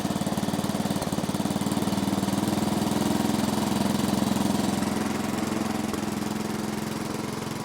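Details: 1970s Massey Ferguson MF-12 garden tractor, Tecumseh 12 hp single-cylinder, running after the cracked head was replaced: chugging about 160 beats a minute, swelling and fading, won't hold steady idle; owner suspects the carburetor.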